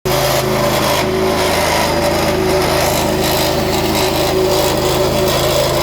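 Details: Petrol pressure washer just back from service making an abnormal running noise: small engine holds a steady high drone with an intermittent thin whistling tone on top; cause unclear.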